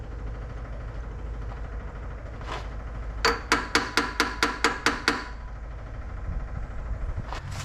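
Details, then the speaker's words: 1963 Corvair, engine off, key on before first start, checking for fuel leaks: a quick run of sharp, even ticks at four to five a second, then quiet. Electric fuel pump working normally. "so let me turn the key on let's see if we have some leaks I do hear the pump"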